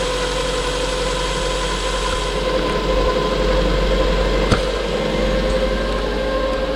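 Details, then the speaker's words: Suzuki Alto after cracked cylinder head rebuild, tappets set, run up to temperature with gauge working; smooth steady hum, no knocks, ticks or misses, idle slightly high, tick-over to be lowered: normal idle. "there she is running a sweet as a nut as you can see got a couple of justments do just lower the tick over a little bit"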